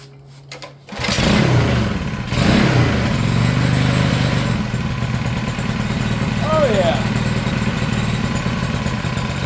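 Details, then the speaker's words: Manco Streaker mini bike, revived with upgrades after the contaminated fuel tank was drained: small single starts after a couple of pulls and settles into a quick, fairly steady putter; runs fine but idle sits slightly low and needs adjusting up. "Yeah. Hell yeah. Looks like I need to adjust the idle up a teeny bit, but it sounds good."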